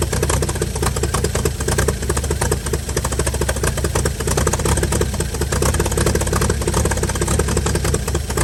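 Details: 1955 Chevy inline six truck revived after sitting about 30 years, used starter, carburetor filled and leaking, just started: steady, even idle with smooth low rumble, no knocks or misses; runs pretty good, normal idle.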